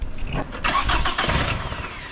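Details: 2009 Toyota Camry, 2.4 L 2AZ-FE four-cylinder, first start after replacing the bad alternator that kept draining the battery, with a fresh battery fitted: short crank, quick catch, even idle, then reads 14.1 V charging; clean, healthy start.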